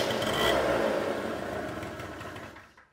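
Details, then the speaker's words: Two-stroke scooter during carburetor adjustment, idle speed screw backed fully out: buzzes at about four beats a second, then fades and dies to silence; idle speed set too low. Stalling at idle. "und jetzt kommt dann kein gas gehört der roller geht aus"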